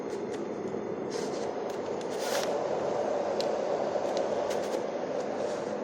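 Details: Dohm white noise sound conditioner, unused about 5 years and dusty from wall drilling, after strip-down: even, steady airy rush with no rattles or scraping, a few light clicks; fan running smooth and healthy.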